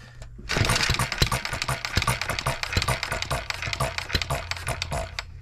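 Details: Single-cylinder engine built 1988, not known when last run, crank just straightened: chuffs irregularly, beats stumbling and dropping out as it labours to stay running. Owner suspects junk in the fuel system and plans governor-spring adjustment.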